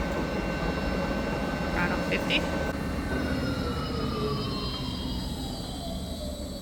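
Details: New large VFD lathe with no foot brake, spindle slowed by its electric motor, run in low speed range: steady whirring with gear noise and tones gliding down as the spindle winds down; normal lathe spindle run.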